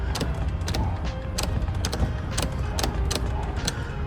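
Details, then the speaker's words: 1972 Oldsmobile Delta 88 power seat, trying to go forward: steady low motor hum with irregular light clicks, motor runs but seat doesn't move; both seats do the same, cause unknown. "like watch this one see how it's trying to move so it's working you can hear him working but they not"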